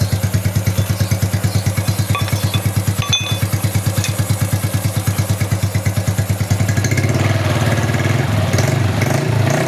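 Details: Honda Wave 110i after timing chain reassembly and adjustment: regular even idle, then revs climb smoothly, no chain rattle or whine; timing chain quiet and healthy.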